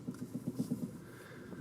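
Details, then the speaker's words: Warmed-up Toyota Camry after battery disconnect: barely idling, shaking, low uneven idle with irregular thumps about every eighth of a second, then fading and stalling; rough idle from lost idle learned values, needs idle relearn. "you can see the car is barely idling and it's shaking i don't know if you can pick that up but that's typical if you disconnect the battery on many cars"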